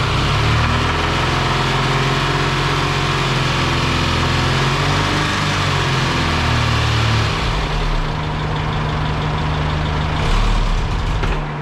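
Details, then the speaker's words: Austin Maestro engine at idle, parked, before the rocker cover comes off: rough, lumpy running with heavy low-end knocking; owner suspects a failed big end, possibly a dropped valve, not confirmed; engine has always sounded rough. "As you can hear, she ain't sounding too hot, so let's get cracking, I guess, and see what's wrong with it."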